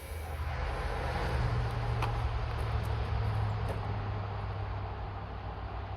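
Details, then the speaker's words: Caterpillar 922B diesel fed by a submerged electric pump, with a tank above the engine: it fires with good smoke, runs rough with a low drone, then dies. Air is getting into the fuel; the owner also suspected the glow plugs. "It had good smoke, and I thought it was going to clear up and start running, but then it shut off just like I shut it off."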